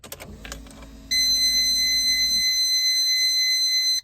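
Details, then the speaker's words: Supercharged 40-year-old Toyota Hilux LN106, key-on: low fuel pump hum then a loud steady high-pitched beep about three seconds from the gauges, their normal startup alert. "Now, the reason I say these gauges are obnoxious is because they beep. They beep, and they beep pretty loud. I'll turn the key on, you'll hear the fuel pump, but you'll definitely hear the gauges over the fuel pump."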